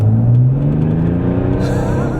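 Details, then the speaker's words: 2005 Mercedes E320 CDI turbo diesel with new larger billet ball-bearing turbo, road test at half throttle: deep steady drone pulling hard with faint rising whistle near end, no knocks or flutter—healthy, spun tires. "alright it's hard to tell a hundred percent if the turbocharger has added a lot of horsepower and torque but I think it has I think it has that was a half throttle and it just threw me back and lit the tires up"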